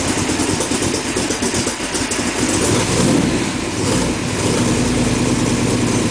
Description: One of my plugs wires gave up so installed new plugs and wires. Initial start-up on the lift.